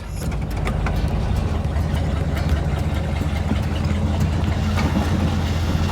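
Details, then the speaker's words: 1959 Ford Thunderbird V8, first drive in over 33 years after brake repair, with a little choke: loud, deep idle with an uneven, lumpy beat that never smooths out; a rough, choppy idle. "It's still a little choppy. Still a little choppy, but going to take a little bit of work to get this thing actually roadw worthy."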